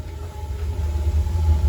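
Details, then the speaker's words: 1950s Thatcher gas furnace after relighting the pilot and switching it on; a steady low burner roar with no puffing or rumble. The burner is lit and firing normally. "okay she sounds like she's lit yeah she better be lit"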